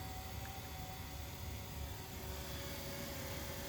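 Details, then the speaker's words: 1984 Sharp VC-498C VCR in fast forward scan: a constant high whir with a faint steady hum underneath; the motor runs louder than it should. "motor is a little loud"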